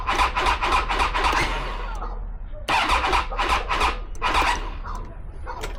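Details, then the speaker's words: Triumph Tiger 800, 2012, 30,000 miles, battery showing 12.6 V, after cleaning the earth and power connections: two bursts of uneven, sluggish starter chatter and no start. It feels like a dead battery, and corrosion is then found on the solenoid and fuse. "Again, it just feels like it's a dead battery. And we're still showing 12.6, so we've still got enough there to get it to move over, but it's just not doing it."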